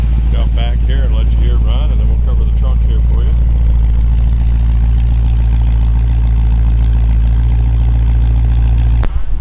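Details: 1955 Oldsmobile Super 88 with ZZ4 350 V8, Holley 4-barrel carburetor, GM HEI ignition and 700R4, about 37,000 miles: deep, steady V8 rumble settling into an even idle with no knocks, ticks or misses; normal, healthy idle.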